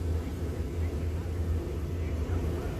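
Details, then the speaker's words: RV furnace that clicked but wouldn't come on, after simple fix, turned on at thermostat: steady low rumble of blower and burner, no clicking or cycling, blowing warm air; normal operation. "so that's the furnace okay see it's blown pretty good warm"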